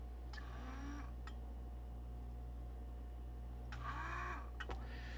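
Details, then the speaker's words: B&O American Models S gauge Pacific locomotive on test track: steady low electrical hum, headlight on, both directions, but wheels not rotating; owner suspects a transmission hub loose on the drive shaft. "So, we have a motor sounding. We have a headlight turning on. Uh we have both directions, but we do not have windows windows. We do not have wheels uh rotating."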